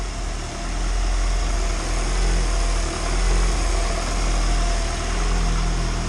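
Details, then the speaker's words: Turbo Honda engine in EG hatch after first start, cracked fitting fixed and valve cover smoke gone; steady low idle with even pulse, no knocks, ticks or misses; owner suspects a tiny pinhole exhaust leak. "I think it's got a really small pinhole exhaust leak somewhere, but other than that, this thing is running smooth."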